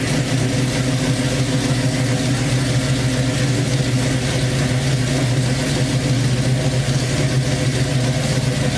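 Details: Chevrolet Nova with fuel injection, lifters recently fixed, a few exhaust leaks, first start since the previous night: steady even engine note with a deep rumble, no ticking or knocking; normal running engine.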